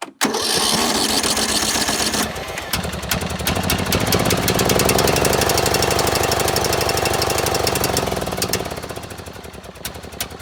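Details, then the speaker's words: John Deere L100 riding mower, single-cylinder engine, non-runner, valves backed off, choke on, original battery, solenoid needs work; fires after a few tries and runs on its own with an uneven stumbling beat, rough running, old fuel (couple years) suspected. "trying to name that smell smells like rank rank old Fuel and I mean I mean the fuel in this thing's a couple years old anyways"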